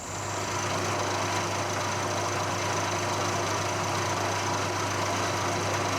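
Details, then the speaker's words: Colchester Student lathe job: sharpened carbide end mill, previously chipped, cutting a T-slot in a malleable iron base in 5 mm-deep passes toward 22 mm depth; steady low hum with even cutting hiss, no chatter; cutting cleanly. "so uh that cut is doing really really well given that I abused it and broke it it's uh it's cutting really nicely"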